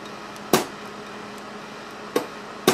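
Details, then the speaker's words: Small 24 VAC solenoid valve with 1/4" NPT connections on a bare-bones test air cannon at about 250 psi. The coil buzzes and hums, very reluctant to open, then snaps open with sharp clacks. Not reliable firing above about 200 psi on 24 VAC. "i'm getting buzzing buzzing very reluctant to open finally it did let's go back up to 250 but it appears that at 250 psi this would not be a reliable firing air cannon doesn't want to let go"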